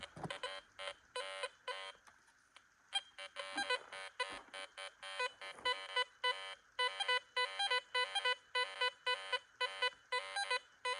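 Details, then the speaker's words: New Garrett Vortex detector, a 10-karat rose gold ring placed among iron nails: repeated short warbling beeps, about two per second, on each sweep over the ring. Normal target tone, the detector locking on solidly. "okay so we're picking it up wow it's solid right there"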